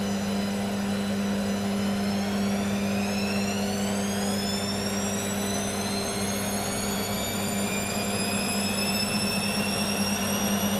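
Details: Beko washing machine, full load of dark clothes, Ariel cap detergent: motor whine climbs steadily over a low hum as the drum spins up; weak-sounding motor pushes through the spin despite suds lock.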